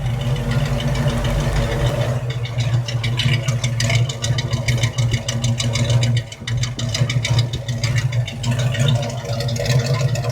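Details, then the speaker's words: 1968 Ford Mustang with a 289 V8 that ran rough when bought: deep, lumpy V8 idle, mostly even with one brief dip and some leftover shake. Running fairly well now, the roughness seemingly partly solved. "But listen, this car ran, but ran rough when we got it to just put it on the trailer. But hey, again, way ahead of the game driving it on the car trailer. From what it sounds like, we may have solved some of that"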